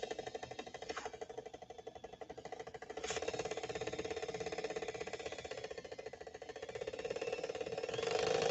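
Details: Swedish sewing machine running: harsh, rough grinding with an uneven clatter about three a second. It binds and runs badly, with the motor very hot and smelling.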